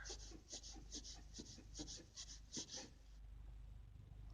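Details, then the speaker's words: Renault Logan front right strut area: rhythmic rubbery squeak about once a second when turning the wheel back and forth, also over bumps; strut bearing fine, tie rod end new, 50,000 km ball joint without play suspected dry. "будем лечить такой звук непонятный скрип в районе стоек на рено логан"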